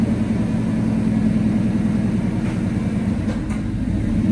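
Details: 1990 Chevy square-body Suburban V8 with dual exhaust, after sitting all summer: deep even rumble holding steady idle, no ticking, knocking or stumbling; engine running smooth and healthy; normal idle.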